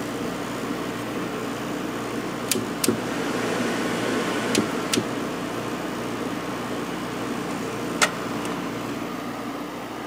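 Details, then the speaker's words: Window AC units in a hot upstairs room: 7500 BTU Fetters (Rotorex compressor) and an 8000 BTU with Sanyo compressor being switched on; even quiet compressor and fan hum with a couple of light clicks; normal running. "Nice and quiet. This is the 8000 BTU. Turn this one on. So yeah, this one runs fine too."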